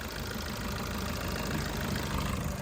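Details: 2015/16 Maruti Suzuki Ertiga VDi diesel. Steady diesel clatter at an even idle with no odd knocks or hunting; healthy idle.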